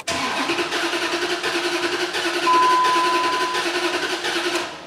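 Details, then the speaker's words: 2004 Dodge Ram 5.7 Hemi, towed in as a no-start and running rough unless held on throttle. Cranking has a lopsided, limping beat with one compression stroke missing per turn, suggesting a dead cylinder. "I noticed the way it cranks over it sounds like it has a dead cylinder so if it's you know related to the poor running I don't know but let's have a listen you'll hear the cylinder missing"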